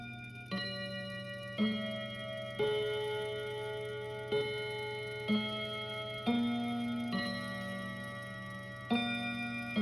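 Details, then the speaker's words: Westminster chime mantle clock (Kienzle, German), after resetting the chime barrel: bell notes strike about every second but in the wrong tune order; the small cog is likely on the wrong tooth and swivels too much. "ah that's so annoying so close more fiddling required i think the cogs the teeth sorry on that small cog they uh it needs to be just right between the right teeth at the moment that swivels a little bit too much and i think i've got it hooked on the wrong tooth"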